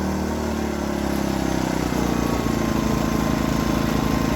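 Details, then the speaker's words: New Predator 2000 inverter generator, running after start with the eco throttle control switched on so it idles up and down: an even drone that eases to a lower, steady note after about two seconds; normal running. "that way it's always waiting to be pulled on it will should idle up but if you don't want it to idle up and down you just push this off"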